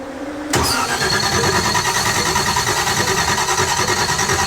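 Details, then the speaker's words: 1955 Chevrolet Nomad that ran earlier off a fuel bottle, after the distributor was reinstalled: starter cranks steadily about three beats a second but never catches; crank no start, owner suspects it isn't pushing fuel from something connected wrong. "it's not pushing fuel for some reason uh I have something disconnected wrong or connected wrong"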